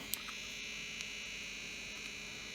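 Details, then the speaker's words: Grundig Stenorette 2050 dictation machine after reassembly, batteries possibly flat, belt had come off: quiet constant high-pitched buzzing whine with faint ticks; motor louder than it should, buzz still unresolved. "concerned at the amount of motor noise. Sounds like I've done something bad."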